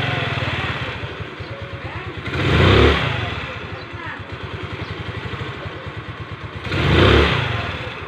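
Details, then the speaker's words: Rusi Gala scooter after replacing heat-hardened CVT V-belt: steady even putter with two throttle blips, the previous scraping/rubbing noise from the CVT gone; normal. "bale nawala na yung parang tunog na kumikiskis mga sir"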